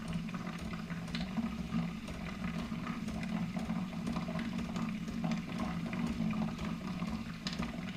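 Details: New Keurig Rivo R500 latte system, first-use priming of the frothing pitcher via latte froth button: steady low hum with gurgling and bubbling water, no clicks or strain; normal frother priming.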